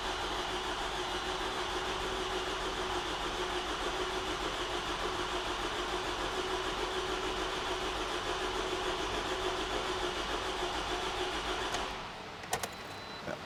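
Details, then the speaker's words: 2011 Toyota RAV4 2.5L 2AR-FE, freshly rebuilt after severe oil consumption at about 150,000 miles: about twelve seconds of steady cranking with no firing, crank sensor unplugged to prime oil pressure before first start. "So I have the crank sensor disconnected. This will prevent the car from starting. Without further ado, let me go crank it until we build up oil pressure, and we'll see what happens."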